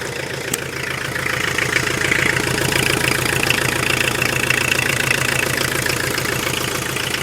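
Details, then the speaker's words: Tata Winger diesel with a starting problem, after setting high-pressure pump timing and wiring the heater directly: starts and idles with even clatter, about four pulses a second, no misses or knocks; pump timing fine, no advance needed. "गाड़ी का sound बढ़िया है, okay remote है, मतलब pump को advance करने की कोई दिक्कत नहीं है।"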